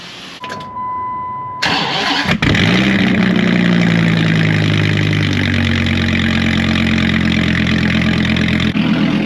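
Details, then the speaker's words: Dodge Viper V10 first start after two weeks at the shop for blown-motor repairs; brief crank catches quickly, then a steady, even idle with no knocks or misses, sounds real good; normal cold start and idle. "Man, this thing sounds good. I don't know if it shows it up on camera, but like, it sounds real good."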